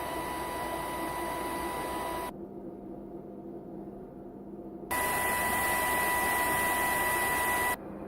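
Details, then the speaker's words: Capcom CPS2 arcade system built in the 90s, fan noise before and after. The worn original fan gives a loud hiss and steady high whine; the new narrower 60x60x10mm 12V 0.16A brushless fan gives a much softer hum. "So as you can hear, the new CPS2 fan is considerably more quiet than the old CPS2 fan, and surprisingly so."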